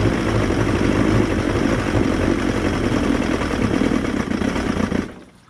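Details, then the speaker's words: Wellcraft boat engine after new fuel pump and water pump impeller, run on water bucket, warmed after 30 seconds near full throttle, possibly bad gas: rough uneven running, then slowly dies returning to idle; restarts easily. "When I try and put it back to idle, it just slowly dies and kills."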